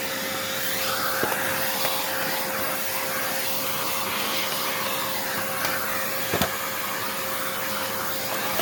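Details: Hoover Encore U4595 upright vacuum during partial refurbishment, first test run: steady airy whoosh with even motor whine, no grinding or rattling; motor runs normally, bottom motor bearing not yet checked.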